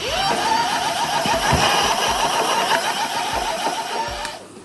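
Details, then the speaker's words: E-bike hub motor with a new AliExpress controller on a nine-level setting, moved from sixth to seventh: whine climbs, then holds a strained pitch with uneven ticking three to four times a second; the motor starts to labour and resist. "Sitten kun mennään seiskalle, niin tämä rupiaa tää moottori ottaa vastaan."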